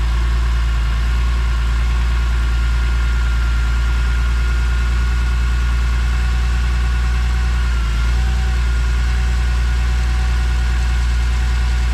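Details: BMW E46 M3 with a redesigned CSL airbox fitted (not yet clamped), first start after an airbox failure: deep, steady idle holding even speed, no knocks, rattles or misses; sounds healthy, and it later pulls hard.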